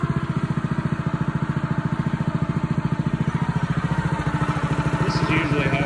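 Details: Honda GX160 on a SplitFire wood splitter after carb cleaning and oil change for bogging and stalling when splitting, test-splitting wood: even, regular beat of about three pulses a second, holding steady under splitting load without bogging; runs healthy.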